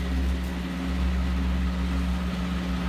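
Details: Westinghouse 16-inch fan, running on high after medium at 1.53 on the meter: steady, even motor hum with a constant low tone and no scraping or ticking, reasonable amp draw, blades slightly unbalanced, still stiff; no bad sounds, normal running.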